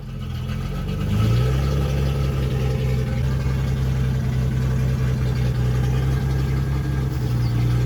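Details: 1976 Datsun 280Z, first start after sitting four or five years, unsilenced: engine catches, rises to loud raw fast idle held evenly with no misses; runs fine; won't restart hot, owner suspects distributor.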